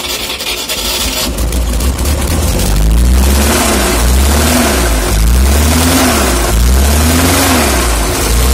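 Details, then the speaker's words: UAZ engine that seized and spun its bearings after running with no oil: started cold and revved in repeated surges, with a heavy, rough clatter and creak underneath. It stops instantly when shut off. "Слышно какой-то конкретный скрип."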